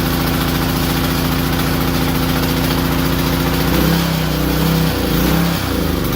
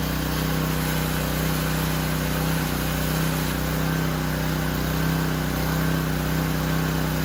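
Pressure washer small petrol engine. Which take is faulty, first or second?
first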